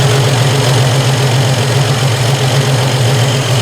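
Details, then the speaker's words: Triumph TR250 warm on stock Zenith Stromberg carburettors, after one turn of mixture adjustment, air valve lifted: loud, steady idle with slight speed increase then return to normal, no stumble; mixture correct, initial setting before a plug read. "so slight increase and return to normal idle the mixture is correct and i think that's what we're getting"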